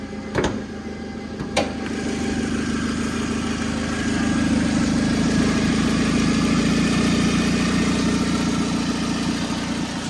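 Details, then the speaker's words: 2007 Toyota Camry 2.4 with a low-power complaint, idling on the lift with the downpipe removed: a steady idle that stays muffled and hardly louder than with the exhaust on, showing the catalytic converter is blocked. Clogged catalytic converter. "okay so we got the exhaust removed we're going to start it up you can see the car is hardly any louder with the downpipe removed"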